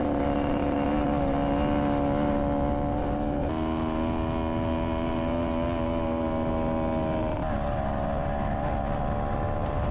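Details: Honda Odyssey FL250 on a ride after a fuel pump rebuild. Steady single-cylinder drone holds even through gear and throttle changes with no misses or stumbles; normal running under load.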